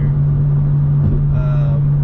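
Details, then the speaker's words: BMW M2 with M Performance exhaust, in-cabin at highway cruise, comparing ASD off. A steady, deep low hum holds one pitch, with no perceptible difference. Exhaust resonance drone. "now subjectively there appears to be no difference for asd which is a bit of a bummer because you still have that frequency that's hanging in your ear"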